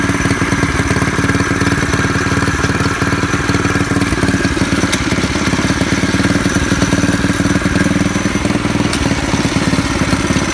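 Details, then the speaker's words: Predator 212 single-cylinder engine on a bicycle, driving a jackshaft to a 7-speed with torque converter, custom wrapped exhaust, first test run: steady even chatter at constant fast idle, no misses or knocks, not too loud; running normally. "I bought starter fluid and was anticipating all kinds of problems, but I want you to hear it run because it's not too bad, not too loud."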